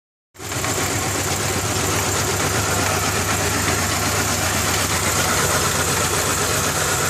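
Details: 2000 Ford Ranger XLT 2.5L that barely idles and dies in gear: rough uneven idle with a loose slapping tick about four per second; owner suspects the timing belt slapping the timing cover, unconfirmed.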